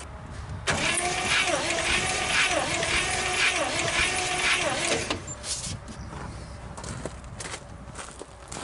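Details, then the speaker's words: 1956 Studebaker Golden Hawk, wet compression test with a teaspoon of oil and the throttle wide open: steady, even cranking at about two turns a second. Compression rose from 30 psi, so the rings are likely stuck, matching the blow-by seen. "And I was wrong. So, ring issue. And that blow-by that we was getting when we was trying to start it is probably a good sign of that. So, I'm going to guess and say the rings are probably stuck on it."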